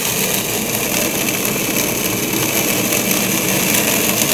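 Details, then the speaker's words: Acrylic centrifugal pump trainer driven by an electric motor through a magnetic coupling, suction valve throttled to about 18–20 inHg vacuum: steady hiss with crackling pops like rocks going through the pipe, from vapor bubbles collapsing (cavitation), with no debris present. "you start to hear that sound that sounds almost like rocks going to the pipe there's no debris there's no solid material through here that solid sounding sound is really the collapsing of the vapor bubbles as they go back in the liquid form"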